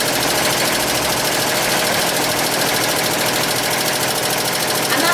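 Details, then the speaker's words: Owner's used industrial multi-needle embroidery machine sewing out; fast even needle chatter with steady rhythm, no clunking or grinding; normal sewing operation. "To give you an idea of how a multi-needle machine sounds when it's sewing out."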